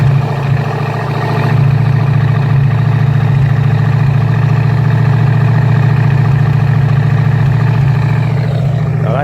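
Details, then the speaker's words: Rebuilt Ford 289 V8 after a two-year restoration, running at about 1,600–1,800 rpm with good oil pressure and temperature under half: steady, deep, even burble with no knocks or misses. Smoke comes from an exhaust that sat for two years. "that sounds pretty sweet like i said so we've got uh the whole thing running"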